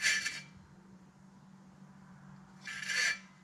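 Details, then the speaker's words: 2015 or older Mitsubishi Lancer rear hub spun by hand, rotor plate off; two short harsh rasping grinding scrapes on that side. Bad bearing suspected, possibly the rotor; bearing to be swapped first. "so it's grinding right there somewhere right on this side so i'm gonna check the bearing swap it out"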